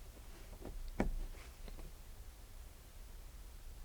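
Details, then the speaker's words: Renault Clio 1.6 16V (1999), no-start: fuel pump powered directly with 12 V from the battery via its connector gives a single click, then near silence with no pump hum, so the fuel pump appears dead. "donc la pompe ne fonctionne pas on l'entend pas je suis bien branché sur le 2e est ici et je n'ai rien du tout sur la coupe donc la pompe a priori à l'air en panne"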